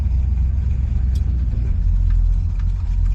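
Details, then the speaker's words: 1969 Ford Fairlane, mild 302 V8 with C4 automatic, in park after fixing a large taped-over carburetor vacuum port leak: steady deep V8 burble, even beat, no hunting or misses; smooth healthy idle, much better than before. "Sounds much better than it did before."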